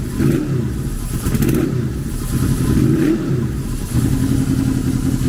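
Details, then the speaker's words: Honda VFR800 V4 motorcycle, salvage bike after throttle plate adjustment: loud, slightly lumpy, wavering revs that never quite smooth out; uneven running, still needs adjustment though better than before; pairing valve had a marble, air filter dirty. "so I still think there's adjustments to be made but I think that's a little bit better than what it was"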